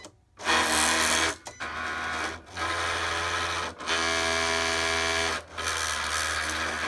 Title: Cricut grinding noise